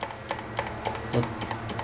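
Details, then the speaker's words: Honda Ruckus at key-on, after cleaning clogged carb jets, engine not running: crisp even ticking about three to four per second; electric fuel pump priming normally. "so now that they're clean and free we're gonna and we got everything hooked up we're gonna turn the key"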